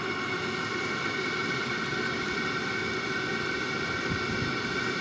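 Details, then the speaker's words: New Wippro 5/8 kW all-in-one Chinese diesel air heater on its first run, for a 2000 5.9 Cummins Freightliner MT45 van: even jet-like roar with whistling fan tone, no surging or pops; clear exhaust, warm air coming out, running normally. "but it's working definitely working yeah it's coming out warm now"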